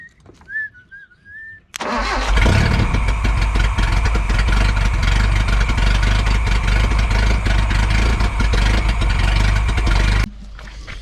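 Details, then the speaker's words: Nissan KA engine swapped into a D21 Hardbody, started via starting wire after reconnecting the distributor signal to the computer (previously fired only one cylinder); short crank, catches cleanly and settles into a steady, even idle with no misses. "so it runs that'll do it for this video"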